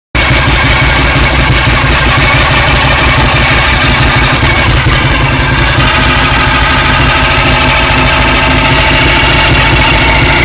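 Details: 2007 Ducati 1098 in 1st or 2nd gear going downhill, clutch released slowly: loud uneven engine running with a faint high whine that worsens on clutch release and almost disappears with clutch pulled in; dealer found clutch OK, cause unconfirmed.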